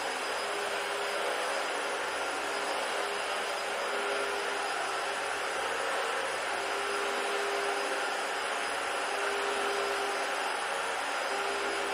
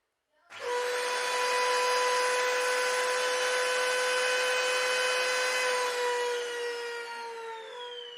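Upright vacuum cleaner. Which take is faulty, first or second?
second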